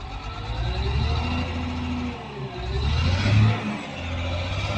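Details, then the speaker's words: CAT 950H wheel loader after a hard start, running rough and uneven like a misfire because the number two injector is not working; the monitor shows no error. "So now it's already started, but one injector, number two injector is not working. Okay. If you can hear the sound of the engine. Sound is same as a misfiring because of number two injector is not functioning."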